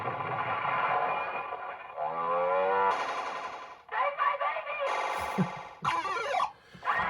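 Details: Williams Fire! pinball after repair of its MPU (alkaline corrosion abated, SRCs replaced with SRs, input power filter cap replaced, NVRAM added), sound test on a soundboard with a single sound ROM: clear tones, sweeps and effects play cleanly without crackle or dropouts, so sound works normally.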